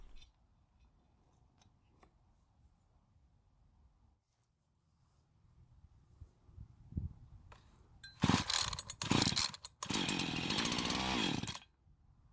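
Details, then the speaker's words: Husqvarna chainsaw with a bad fuel line, before an aftermarket carb swap: long silence, then two short bursts of raspy two-stroke running that cut out after a second or two, firing only when fuel is poured into the carb throat. "We then found our first major issue with it, which was a bad fuel line, but before we invest a bunch of time working on it, we need to make sure it's going to start and run after putting some fuel into the carb's throat, otherwise we're going to waste our time."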